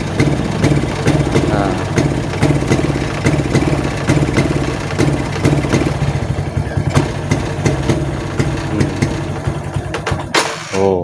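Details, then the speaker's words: Suzuki Titan/Smash motorcycle with a drained battery stumbles and dies when throttled; runs normally on a new battery, regulator/rectifier suspected as cause. "oke digas mati ya"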